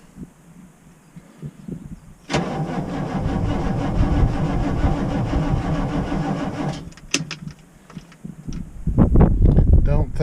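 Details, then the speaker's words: Ex-military Humvee (HMMWV) diesel, cold morning about 30°F (was 80 two days earlier), glow plugs cycled: starter grinds the engine slowly and labouringly for about four seconds without catching; battery suspected weak, may need jumping. "or if the temperature changes it was 80 two days ago now it's 30 that can definitely bring a bad battery to light"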